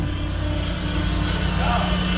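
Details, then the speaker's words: Chrysler Aspen running: steady mid-pitched power steering pump whine over the engine; owner suspects air pockets in the system or a failing pump, unconfirmed. "That is a physical, actual power steering pump. When the last time you seen and heard one of those, and it is noisy. Now I can pretty much sense where my noise coming from. Probably some, I don't know, air pockets in the system, and the pump just gave out."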